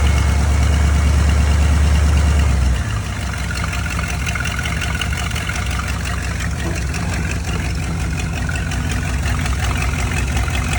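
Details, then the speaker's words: GMC squarebody pickup that wouldn't run reliably, started after new parts including a new coil. Deep, even rumble at about three pulses a second; it stays running with a smooth, stable idle, hopefully fixing the problem. "Well, she stayed running a little bit there. Hopefully that fixed the problem."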